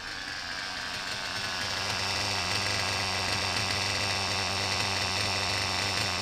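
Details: Reds R5 nitro RC engine, low-speed needle leaned and idle raised, run indoors with a 3/8 fuel injection line on the pipe: steady high buzzy note, no knocking or rattling; earlier sickening "chipmunk" noise not heard, normal running.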